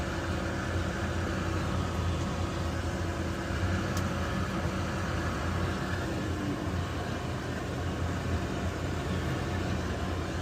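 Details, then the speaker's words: Old Weil-McLain HE boiler with integrated control 1013-200, no-heat call, running after high-voltage connector reseated: steady droning whir with rough uneven hum; combustion blower suspected worn, not confirmed. "And it sounds like the blower's getting tired here."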